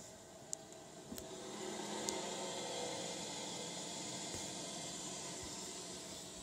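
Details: Blast City arcade cabinet power supply fan: steady airy whir with a faint hum and light ticks, louder than it should be; owner suspects the PSU fan needs replacing.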